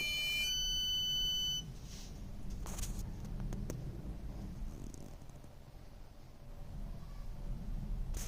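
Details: 2016 Chevrolet Malibu parked with ignition fully off makes a brief high electronic buzz, then a steady low hum with faint clicks, continuing for at least a few hours after arriving home; source unknown.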